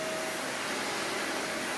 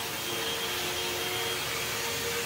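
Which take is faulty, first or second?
first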